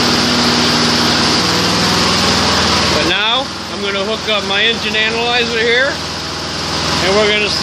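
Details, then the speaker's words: Junk Weed Eater 22-inch front-wheel-drive mower with Briggs & Stratton engine, rescued from trash, after oil change: started on one primer push and first pull, steady even buzz without surging or misfires, 3100 rpm at high speed (max 3200); running normally. "at high speed 3100 perfect it's good enough as you saw there one push of primer first pull fired right up"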